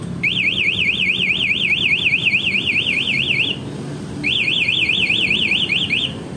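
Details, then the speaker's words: Aftermarket MP one-way alarm on a 2017 Honda Vario 125 LED scooter: a shrill warbling siren sweeping about five times a second in two bursts, triggered by switching on the ignition while armed in silent mode. "Nah dia cuma Gedong enggak bunyi kalau mau di Thailand tapi kalau kontaknya ini dia bunyi"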